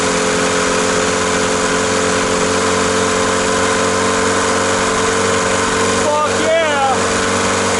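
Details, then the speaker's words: Old VW MK2 diesel, freshly fitted fuel lines, just started: a steady, even clatter at a fixed idle that never rises, because the accelerator does nothing and the engine idles off the lift pump alone; no throttle response. "we learned that our accelerator this guy was literally doing nothing this is our our our accelerator and it was literally idling which you heard just now was idling off of the lift pump itself"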